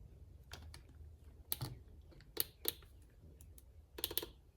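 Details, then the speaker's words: 2012 Volkswagen Passat relay bench-tested: sharp, light clicks in small groups over a quiet background as it is energised, then reads 0 ohms; relay good, so fault blamed on the clock spring. "So you hear the click, and then once you hear that click, you just turn this on and go over to the ohm side."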